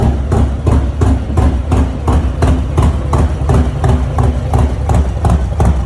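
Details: Harley-Davidson Low Rider S, Milwaukee-Eight 114 V-twin, after installing S&S 475 cam and new oil pump: deep loping idle about 170 even beats a minute, no tapping or knocking; healthy with the new cam.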